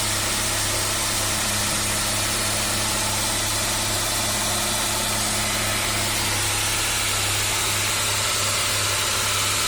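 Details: 1998 Saab 9-3 2.0 petrol idling with a steady hum and a busy, fast rattle from the engine; noise sometimes gets much louder.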